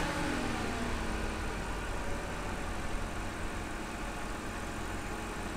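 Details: 2009 BMW 328i E90 N52 inline-six after misfire diagnosis, ignition coil reinstalled and codes cleared: smooth even low idle hum with no stumbles; running fine.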